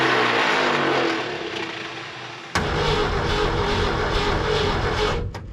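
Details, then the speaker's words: 1972 Ford F-100 240 inline-six automatic, parked in a barn since 1995, new fuel pump and swapped carburetor: starter cranks but engine never catches; no-start from flooding blamed on excessive fuel pump pressure. "nope doing the same thing too much fuel pressure what is up with new fuel pumps oh my goodness that is an insane amount of fuel pressure"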